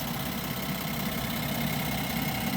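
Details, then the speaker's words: Brand-new 2025 Ram 1500 with the SST inline-6 twin-turbo (420 hp, 476 torque), also low on coolant: steady idle with a light, fast clicky tick over the engine note; owner concerned, cause unknown, truck under warranty. "um the noise concerns me a little bit too I just feel like it shouldn't sound this clicky this Ticky if that makes"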